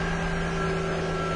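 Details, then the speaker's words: 2000 Nissan Maxima that failed emissions on high NOx, idling after clogged EGR tube was cleared; starts right up, steady smooth idle with low hum, smoother than when it came in. Normal idle. "All right. Yeah, definitely sounds good. It actually sounds smoother than when it came in."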